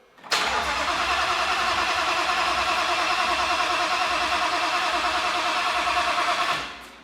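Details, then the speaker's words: Ford Mustang with a freshly fitted, fully built RPG engine, first start after priming: steady starter churn for about six seconds with an even beat, never fires; cranks fine but gets no fuel because the fuel pumps are not turning on with the current tune. "It appears that on this current tune, the fuel pumps aren't turning on"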